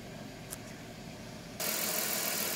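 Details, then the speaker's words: 1996 Chrysler Town & Country 3.8 V6, 225,000 miles, hot day, idling after replacing ignition coils for P0352/P0353: even steady hum, no stumble; faint bearing noise suspected from a failing water pump. "225,000 miles. Fires right up."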